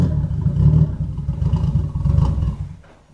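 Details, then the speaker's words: Newly bought cheap Nissan R33 Skyline GTS-t being driven on the road, gearbox also noted as sounding horrible. Under load the engine drone comes in uneven, lumpy surges rather than a smooth pull; running rough, cause not identified. "so yes obviously at the moment it's not running very nice but we will sort that we will definitely most certainly so do this"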